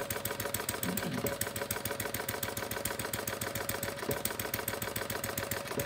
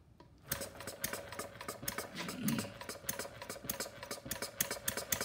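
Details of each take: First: Homemade single-cylinder gas engine built from plumbing parts (about .875" bore, 1.5" stroke, 7" flywheel, capacitive discharge ignition, battery powered) running at steady speed after mixture adjustment: quick, even firing beats, no skips, running cleanly. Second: Homemade single-cylinder plumbing-parts gas engine (about 0.875 in bore, 1.5 in stroke, 7 in flywheel, CD ignition), not fully cold, on full choke: uneven, stumbling popping with a little smoke. It is running rich and misfiring.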